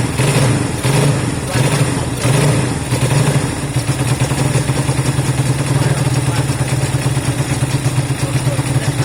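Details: Honda CB200 twin first start after many months stored, air filters refitted: a few cranking surges, then catches into quick even idle patter; running fine.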